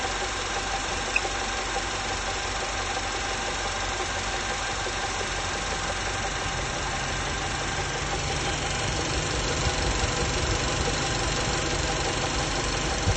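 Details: VW 1.8 TSI at idle: steady idle with a light, quick tapping knock about three times a second, an abnormal internal engine knock; exact cause only determinable by teardown.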